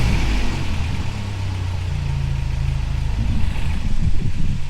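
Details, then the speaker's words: 1985 Toyota 4Runner revived, after correcting ignition timing: steady low even idle with no knocks or misses, some revving near the end; normal idle. "think that sounds pretty good I'm pretty stoked heck yeah"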